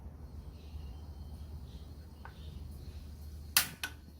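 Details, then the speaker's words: Portable gas stove lighting normally: a faint gas hiss as the knob is turned to max, then a sharp spark click and quick second snap as the burner ignites. "There, so you can see that the fire is lit up. And the hissing sound appears around here because there's a lot of gas being released."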